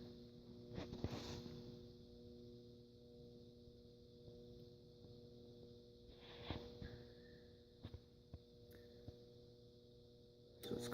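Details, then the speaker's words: 56-inch Airmaster ceiling fan, likely stamped steel motor, lubricated with WD40, on speed one of a four-speed control: steady low electrical hum with faint whine and occasional clicks, no rotation build-up; motor hums but stalls at low speed. "let's start it on speed one which as you can see it does stall it will not move whatsoever or it will go but not for very"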